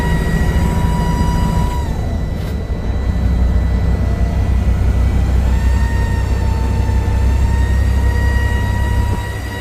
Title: This weird whining noise while accelerating. Going up the hill is louder, no smoke or oil leak 🤔